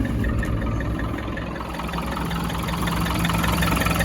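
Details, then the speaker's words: 1995 Land Rover Defender 90 RHD 300Tdi diesel, 138,000 miles, started cold: steady even idle clatter, no misses or knocks, no smoke, no back pressure or blow-by, clean oil. "Engine's running nice and smooth. Nice clean oil. No smoke. No back pressure or blow by."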